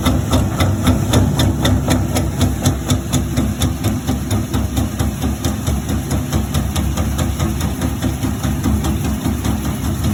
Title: Maytag washer making noise